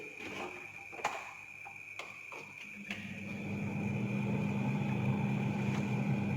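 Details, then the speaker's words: Refrigerator that had been making noise and not cooling well, after repair: a few light clicks, then a steady, even low hum from the freezer evaporator fan spinning freely, with no scraping or ticking and cold air flowing; normal running. "Nah, itu kita lihat baling-balingnya berputar. Ini sudah terasa freonnya keluar, tidak ada bunyi lagi."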